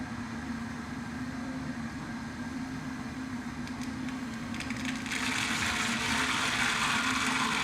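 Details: Steady buzzing grind pulsing about four times a second, then rushing water joins; owner first suspected a recalled Flushmate toilet unit, source not confirmed.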